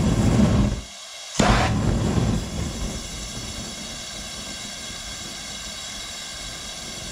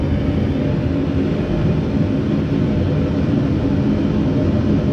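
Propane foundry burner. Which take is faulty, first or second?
first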